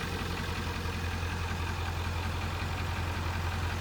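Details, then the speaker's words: 1997 Ford F250 7.3 Power Stroke turbo diesel idling just after its first start in two years: even, low rumble with a steady beat and no obvious knock; sounds good, though owner says it isn't charging well and suspects the alternator. ">> It sounds good. >> Sounds good, but it ain't charging very good."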